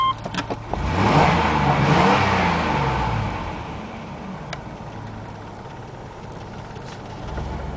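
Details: 1993 GMC Safari van, 221,000 miles, central spider fuel injection: catches quickly, revs hard for a couple of seconds, then drops to a steady, even idle; normal start and rev, healthy.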